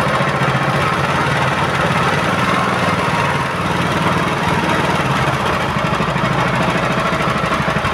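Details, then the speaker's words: Honda GX160/200 single-cylinder petrol engine after governor adjustment (previously raced high and wouldn't drop): even chug dips briefly and recovers without hunting or surging; governor holds speed steadily. "Dan sekarang kalaupun mau digas dia itu langsung stabil ya, tidak seperti sebelumnya langsung naik sendiri dia."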